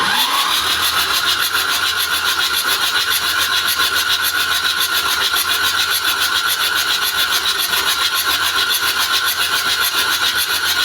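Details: Mitsubishi 4DR7 diesel that won't start after one day on standby, battery charged: steady starter whirr with even compression pulses about twice a second, never catching; no fuel found at the number one injector.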